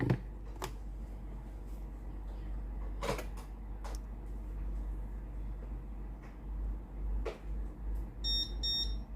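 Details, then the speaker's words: Philips PSG6064 steam iron (customer reports no steam) switched on and warming; a few quiet clicks, then a short run of high beeps once the light stops blinking. Ready beep after warm-up. "ทำการเปิดเครื่องนะครับรอไฟหยุดกระพริบก่อนนะครับ"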